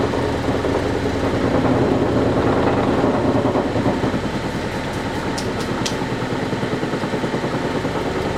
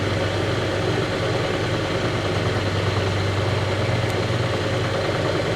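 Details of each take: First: Vintage Lortone NS/8 8-inch lapidary arbor, first power-up: motor hum with steady knocking rattle, about three beats a second, as particle-board base bangs on an unlevel tabletop; cardboard shims planned as fix. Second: Restored vintage Lortone NS/8 8-inch lapidary arbor, first power-up without water: steady even low hum with mild vibration and no knocks or rubbing; motor runs normally.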